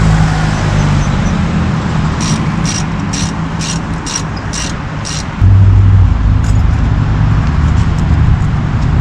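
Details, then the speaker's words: 2014 Chrysler Town & Country van driving after front wheel bearing replacement: steady low road rumble, the speed-related hum above 25 mph is gone; bearings now quiet. "Well, good news, guys. My efforts in the AutoZone parking lot have paid off, and that annoying hum that was coming from the bad wheel bearing is now gone."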